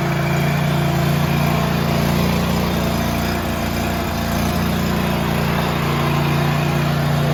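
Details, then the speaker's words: John Deere 180LX lawn tractor, liquid-cooled 17 hp Kawasaki V-twin, hood off, snow thrower belt drive: steady V-twin drone with belt hum that changes as output torque is increased and swells and fades; uneven running under belt load, cause unclear. "did you hear the the uh belt change and how it sounded differently that's because I increased the torque on the uh the output of this"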